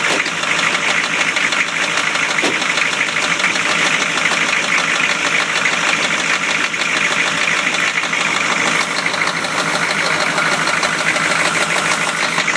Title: 93 Chevy rod knock